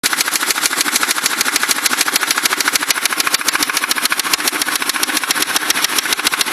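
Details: Crown Victoria engine at idle, with a noise that developed recently despite good maintenance: a sharp, fast, crisp metallic ticking at about three and a half per second rides over the idle. Owner suspects rod knock; source unconfirmed.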